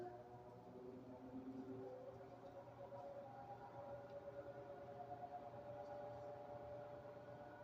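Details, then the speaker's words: Air Wizard Pro 20" floor fan on low (Breeze) setting: a thin, steady motor whine rides over the airflow, its pitch wandering a little. The owner suspects the motor is undersized for the blade. "this van unfortunately has a motor wine issue which again goes back to what what I said about it's undersized motor for this blade"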